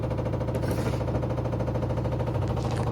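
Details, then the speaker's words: LG 7 kg front-loading washing machine on spin, confirmed level with a spirit level: steady rapid knocking, about three per second, from inside the drum over the spin hum; points to an internal fault, cause unconfirmed. "तो अगर machine हमारी level में है और spin time sound कर रहा है तो दोस्तों इसका मतलब कोई ना कोई हमारे वाशिंग मशीन के अंदर फाल्ट है जिसके कारण मशीन में आवाज आ रही है"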